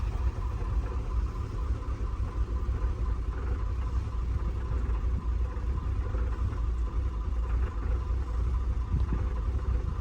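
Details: Range Rover Supercharged 400 engine at idle with fuel and cam codes: low uneven idle with irregular stumbles; misfire persists; mechanic suspects fuel issue or pump/cam timing.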